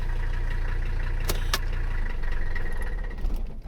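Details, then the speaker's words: Mercedes 300CD diesel, after valve timing adjustment, just started cold on a very hot day: steady low idle with light even clatter; diesel clatter a little more than before, car functional, owner hopes it improves when warm. "Diesel's a little bit more now, but car seems to be functional. We'll see if it's a little bit better once it warms up."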